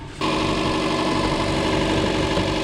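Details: Car started in snow at about -1 degree during a roadside battery check: catches and settles into a smooth, even idle, steady hum, no knocks, misses or belt squeal; no battery light, charging 14.5 V, healthy.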